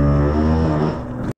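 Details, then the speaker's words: BMW F2x/F3x/F8x, ISTA DSC bleed of the rear-left corner, bleed screw open with the pedal pressed and cycled: harsh, steady low buzzing drone for just over a second, then a clean cutoff; normal DSC pump cycling, no bubbles seen afterward. "and you can hear it making a terrible noise but and i'm cycling the brake pedal and we are you know flushing fluid out of that uh rear left uh bleed nipple"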